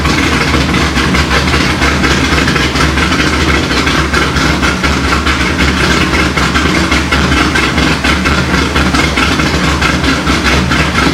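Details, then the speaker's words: Corvette C6 Z06 first start after B3 cam and McLeod RXT twin-disc clutch install, with ported heads, FAST 102 intake, 65lb injectors, 1-7/8 headers, straight-pipe axle-back, E85 tune: steady, slightly lumpy V8 idle, no ticking; healthy, air-fuel close. "so there you have it guys b3 cam install along with the rxdr twin disc clutch and it sounds it sounds good"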